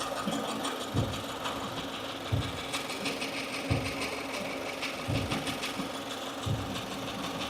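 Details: 2015 Subaru Forester, warm idle out of warmup mode: short whirring chatter returning roughly every second and a half, not constant with engine rotation; new since days before, owner suspected lifter or rocker roller issue; source unclear.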